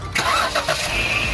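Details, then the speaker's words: Flood-salvaged 2017 Jeep Wrangler Unlimited JKU, first start after an oil change to Mobil 1 synthetic with a new Mopar filter, no water found in the oil; brief crank, catches at once, even steady idle with no knocks, purring like new. "Gosh, she sounds like a brand new Jeep, because it is a brand new Jeep. Look at, man, listen to that thing purring like a kitten."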